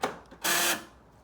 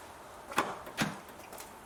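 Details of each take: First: 2009 Nissan Note UK left-hand passenger door lock actuator: a click then a harsh buzzing grind of about a third of a second when locking; noisy actuator being replaced. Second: 2009 Nissan Note passenger-side (UK left) door lock actuator after replacement: a few crisp, separate clicks about a second apart. It snaps cleanly and isn't noisy like the old one.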